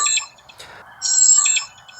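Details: VIOFO A119M Pro 4K dash camera powering up with the ignition on: bright two-burst electronic chime at normal startup, with no memory card inserted yet.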